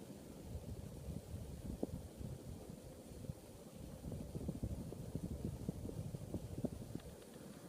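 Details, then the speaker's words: Early-1980s 52-inch Toastmaster spinner ceiling fan (relabeled Fairbourne Trading Co.), three-speed with reverse, mint original, first test since hanging: steady low whoosh on medium to high, very well balanced, no wobble, grinding or knock; healthy. "um move steady air on medium and this fan is very very well balanced does not wobble at all"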